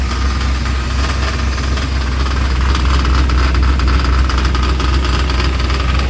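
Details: 1995 Chevy 1500, long-sitting, first start after fixing spark plug wire order, has oil pressure: steady rapid knock, about four a second, tracking engine speed from the front, not like engine noise.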